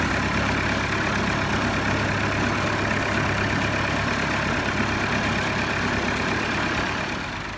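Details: 1964 Massey Ferguson 65 diesel tractor just revived: steady, even diesel chug at idle with no knocks, misses or rattles; healthy.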